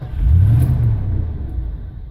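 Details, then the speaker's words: 1989 Ford F-150 5.0 L with intermittent starting that worsened to no-start: deep rumble swells briefly with a little throttle, then sags and fades within seconds; starts but won't keep running. "so it kind of starts but it won't keep running now when I put my foot in the gas a little bit it runs a little bit more"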